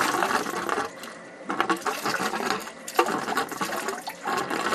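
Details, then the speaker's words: Two-zone baseboard hot water heating system being bled through the upstairs zone drain valve with hose: irregular spitting and gurgling bursts as water and air sputter out; lots of trapped air in the heating loop. "you can hear the the air coming out yeah wow wow is there ever air in here"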